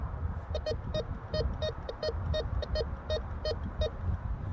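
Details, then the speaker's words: Bounty Hunter Tracker IV metal detector in discrimination (disc) mode over a 14 karat gold ring, a mid-conductor: quick buzzy bursts of high tone as the coil sweeps. "Gave us that high tone."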